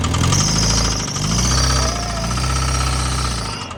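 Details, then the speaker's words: Honda Civic engine at idle: loose heavy knock about four times a second over the engine note; worn rod bearing, oil pan to be dropped to replace it. "all right so i got a rod knocking uh that's not good"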